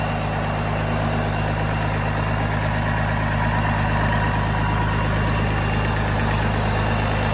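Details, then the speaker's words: Engine on a Bandit stump grinder showing 50 psi oil pressure running, dropping to 25 after shutdown: deep, steady drone with an even beat, no knocks or misses; running really good. "i'm gonna shut it off here and check the oil pressure afterwards you can hear it's running really good"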